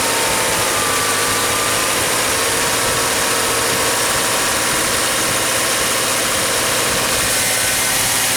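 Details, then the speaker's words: 2014 Subaru Crosstrek just after an oil change with Valvoline 0W-20 (5 1/4 quarts), started up: smooth, even idle with a steady hum and no knocks, ticks or misses; sounding good. "Sounding good."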